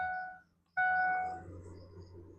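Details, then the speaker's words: Ford F250 Super Duty alternator: two sharp, high-pitched squeaks over a faint engine hum from dry, failing alternator bearings. They have squeaked since the truck was bought, and replacing the belt tensioner earlier didn't cure it. "It's the bearings inside of it. Yeah, the bearings inside of it have been squeaking since I got the truck."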